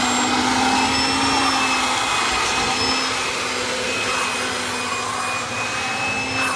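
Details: 1997 Kirby G5 upright vacuum with metal fan, hose and dusting brush attached: smooth even high whoosh at constant speed, no scraping or rattle; fan sounds like a vintage 500-series Kirby; normal motor running.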